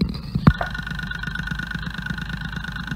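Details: Ford Fiesta direct-injection engine, accelerometer stethoscope on injector number 1 body: crisp evenly spaced ticks, about ten a second at idle; healthy injector compared with less crisp number 2 during overfueling diagnosis.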